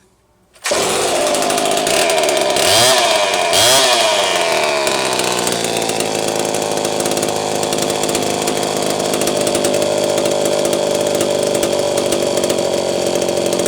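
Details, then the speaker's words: Homelite Super 1130G chainsaw after spark plug wire trimmed about 1/4 inch and sleeved: fires up, brief blip of revs, then a steady even high buzz, running clean; old condenser no longer thought bad. "Okay, now I'm confident it's fixed, and I'm not confident anymore that old condenser is bad, even though it does test well out of range."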